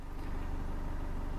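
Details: 2016 Chevrolet Colorado 2.8L Duramax diesel, about 24,000 miles, after a fuel filter change. Quiet, low diesel idle with a soft, even pulse and no rattle or knock; it sounds healthy and normal.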